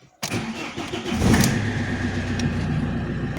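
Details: Alfa Romeo 156 1.9 JTD 8V 110hp diesel. When warm it stalls; the cause is a missing engine-speed (RPM) sensor signal. Engine cold here: short crank, catches at once and settles into a steady idle, a normal cold start.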